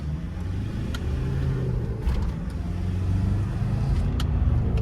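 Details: 2012 Ford Ranger 2.5 diesel, previously misfiring and smoking despite four new injectors, now back running with power restored: deep even note rising with road speed, no stumble or miss; engine running clean and healthy.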